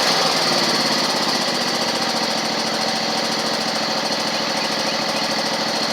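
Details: Toro Z2550 zero-turn twin with linkages refitted; even steady note at constant speed, no misses, knocks or surging, running healthy.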